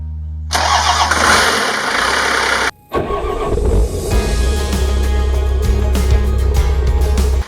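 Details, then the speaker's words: 1962 Chevy C20 pickup on Dodge Cummins frame with swapped 12v Cummins diesel, first start: starter grinds briefly, diesel catches after a short pause and settles into a deep, steady idle with no knocks; normal start, healthy running. "it's a running cummins in the house car this 62 chevy is gonna ride good"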